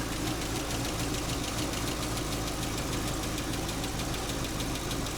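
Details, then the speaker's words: 2015 Chevy Camaro SS RS convertible (2SS), just started: fast light ticking about three per second at idle, oil pressure about 60 psi, charging 14.5 V; owner suspects a stuck or unpumped lifter that may clear. "I'm hoping that ticking goes away. I'm sure this thing is, you know, it's got a stuck lifter or a lifter that's not pumped up or something."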